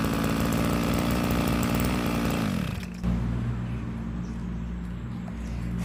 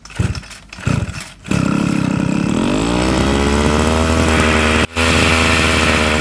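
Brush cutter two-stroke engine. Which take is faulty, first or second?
second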